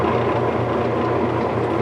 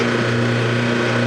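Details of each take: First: Whirlpool direct-drive washer after motor coupler replacement, lid switch bypassed, dial on spin: smooth steady spin hum with even rhythm, no knocking or grinding; spins normally. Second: Whirlpool direct-drive washer switched to spin with the lid switch disabled: steady motor hum and constant low drone with no change in load or speed; the motor runs freely because the motor coupler is broken.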